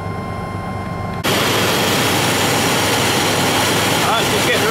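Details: Truck on a frosty morning colder than minus 9, started after a 3-hour battery charge: engine catches and settles into a loud, steady run with no misses or knocks. It runs normally, charging almost 15 volts.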